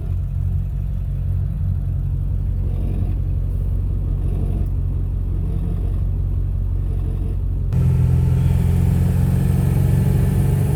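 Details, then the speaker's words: Ford Powerstroke 7.3 diesel with KC300X turbo: deep rumble with rough puffing note rising with revs, sounds like an exhaust leak from leaking turbo up pipes; symptoms were power loss, slow spool and poor fuel mileage. "so i think it kind of sounds like an exhaust leak"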